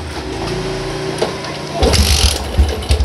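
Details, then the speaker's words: Yamaha Jupiter MX upgraded to 150cc (Vixion block), cold morning, after fixing hard starting, misfiring, fuel waste and black plug: short starter whir, catches on the first press and answers throttle blips crisply; normal start. "sekali shatterdome langsung hidup sekali tak starter langsung hidup dan enak temen-temen enteng langsamnya juga enak"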